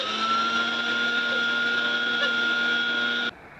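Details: Electrolux 280 vacuum cleaner, cover off, motor running: constant high whine over the motor hum, holding steady until switch-off; suspect dry motor bearings needing lubrication.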